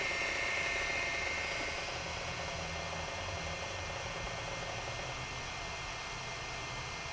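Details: Sharp PC-4500/PC-4521 laptop hard drive on first boot after the head arm locking mechanism was bent out of the way, since the heads had locked; steady whirring hiss with light ticking about three times a second; drive spins up and seeks normally.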